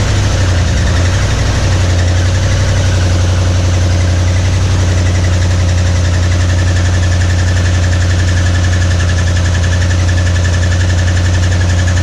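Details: 1961 Mercury Meteor first start in decades after new ignition parts: loud rough idle with heavy uneven bottom-end knocking, noise thought up front; oil pressure light stays on, no oil pressure.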